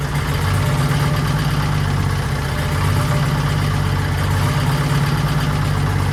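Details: 1940s Allis Chalmers D5/HD5 crawler, two-stroke Detroit 271 diesel after long storage, normal idle: steady even low idle, no misses, knocks or hunting; sounds good but smokes, owner suspects injector, plans replacing it.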